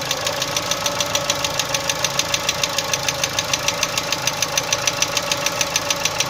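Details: Chevrolet Cruze 1.6 engine at idle: sharp metallic tick about 200 per minute, steady and regular over quiet idle; internal engine knock, cause not yet clear.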